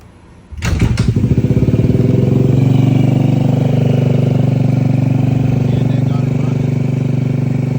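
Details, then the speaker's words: Used, modded 2003 Honda Ruckus, fuel line fed straight from a gasoline container after carb, battery, fuel pump and filter were replaced and the CVT cover cleaned: kickstarted, it catches at once and settles into a steady even putter; normal running. "And yeah, I got her started. So, this is baby."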